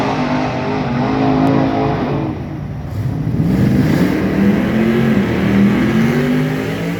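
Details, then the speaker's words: Nitrous drag car on Rockingham pass, reduced jetting, hotter plug, timing set: loud engine stumbles, sputtering rough down back half of track; misfire under load. "This should be an easy 950 setup, and we're kind of sputtering down the track. Really, all the back half of that track is just gross. You can rewind it, you can hear it, it's not happy."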